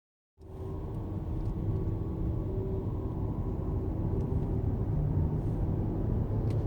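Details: 2015 Mercedes S600 on a road test: a thin, steady whine under the road rumble between idle and 2000 rpm; other S600s tested lack it, while Mercedes-Benz South Africa calls it acceptable manufacturing tolerance.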